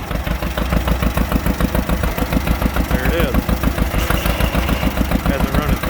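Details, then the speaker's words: John Deere B, not run in 30 years, pull started in cold weather, after several tries and adjustments: slow, even two-cylinder putt about three and a half beats a second, no misses, old oil burning off; normal idle. "sounds good but he could smell all of that old oil wearing off of her it's been a few years"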